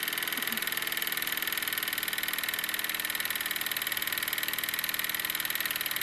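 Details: Wilesco D-18 tabletop steam engine running outdoors, throttled down after running fast: quick, even chuffing at a steady pace with no misses or knocks; normal running.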